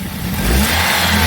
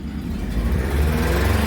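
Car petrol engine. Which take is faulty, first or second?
second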